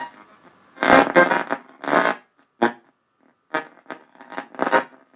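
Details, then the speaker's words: Harman Kardon PM645 amplifier at first power-up with speakers connected: sound cuts in and out in rough fuzzy crackling bursts with silent gaps; bad switch connections, possibly a cracked solder joint suspected. "it does turn on there's some bad connections in the switches to start with"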